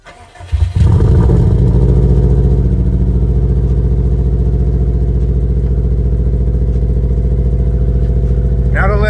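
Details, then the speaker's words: 2002 Subaru Impreza WRX (Bugeye), turbo-back catless exhaust, cold start after fixing an intake leak: brief crank, quick catch, then steady even fast idle with smooth low rumble, no misses or knocks; healthy. "I was expecting it to be a lot louder with no cats back, turbo back."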